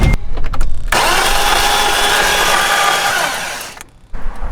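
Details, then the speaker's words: BMW E30 that broke down on the drive home: starter spins the engine quickly and evenly about three seconds with no firing — cranks but won't start; timing belt suspected snapped. "I think I know what happened. How bad is it? It's pretty bad. Really bad? So I think the timing belt snapped."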